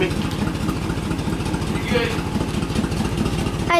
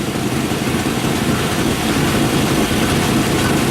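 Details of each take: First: 1997 Suburban after swapping in a used 1999 5.7 V8 with 118,000 miles, no exhaust fitted yet: quick start to a steady, fairly even idle with low rumble; earlier small miss now mostly gone; normal idle. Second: 1997 Suburban with a swapped-in 1999 5.7 V8, 118,000 miles, at idle: raspy, uneven exhaust puffing. The exhaust leak is at a bad catalytic converter; there is a small miss, possibly exhaust-related, and a new exhaust is ordered.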